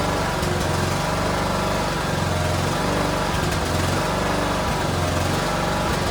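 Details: Cub Cadet LTX1040 riding mower's engine on a test run after the carburetor was refitted to fix a leak at the fuel solenoid; a steady, even putter with a regular beat and no misses or stumbles, so it runs smoothly and sounds healthy.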